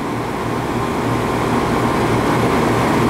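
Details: Scroll compressor with partial capacity due to an open internal relief valve: steady low hum with a smooth, even tone and no knocking or rattle. During the pump-down test suction dropped from 175 to 108 psi and amps rose slightly.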